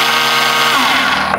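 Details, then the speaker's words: BMW K1600 GTL motorcycle inline-six: pressing the starter gives a high free-spinning whirr with no cranking, as the overrunning (starter) clutch slips and nothing happens. "Многие из владельцев таких мотоциклов могли слышать вместо запуска двигателя такой звук при нажатии на кнопку стартера."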